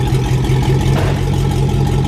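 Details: 1999 Chevrolet Silverado with new exhaust, cherry bomb muffler removed: loud deep idle rumble with heavy low throb and slight swell on a light rev; open exhaust.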